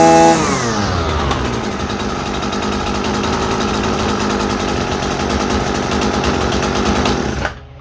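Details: Husqvarna 326RJb trimmer on a replacement carburetor (old one wouldn't idle, fuel pump diaphragm fault), high-speed needle set dead center: high-pitched two-stroke buzz climbs quickly, holds steady and clean, then cuts off; normal running.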